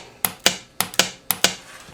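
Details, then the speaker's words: 1972 Evinrude 18 HP outboard being fitted with electric start, starter solenoid bench-tested with jumper wires from the power pack: three crisp pairs of metallic clicks; solenoid pulls in and makes contact properly. "that's the solenoid magnet pulling the that up inside there to finish the connection so there you go that so that's testing a solenoid"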